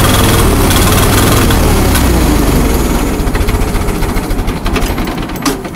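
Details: Allis-Chalmers 170 tractor, sat two years, carburetor rebuilt, new plugs and coil, Camaro exhaust fitted. Uneven lumpy idle, stumbling beat about three to four per second fading down; missing on cylinder 2 or 3. Owner suspects carburetor.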